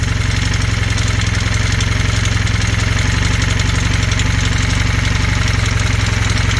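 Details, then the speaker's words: Honda Hondamatic 400 first start after 20+ years unused, oil pressure present: a rough uneven idle with light top-end tapping about four a second from a rocker arm or lifter, with sticky valves; the noise eases as it warms. "I don't know what that knocking is oh it sounds like a lifter up here rocker arm hear that yeah that's a rocker R up top"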